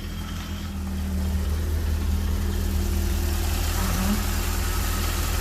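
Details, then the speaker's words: Old Italian car after a tune-up and ignition timing set, first start before a test drive: even low idle with steady drone, no knocks or ticks; engine running smoothly and healthy. "still spinning still running okay I think it's time to take this thing for a little Drive that was really good I love the way this sounds"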